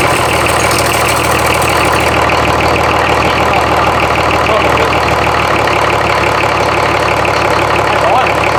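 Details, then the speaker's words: Rebuilt BMW D190 marine diesel, previously seized and sunk, first start with no coolant in the water pump, run about 30 seconds: steady, even idle pulsing about three times a second, no knock or clatter; oil pressure builds and the injection pump works. "I like it. That's going. Sweet. It's alive. Oh God, that's fantastic."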